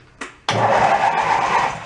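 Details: Mid-1980s Snapper riding mower rescued from a dump, with the seat safety switch wires jumpered and the transmission in neutral: a quick click, then the engine catches at once and settles into an even, steady run. It starts and idles normally.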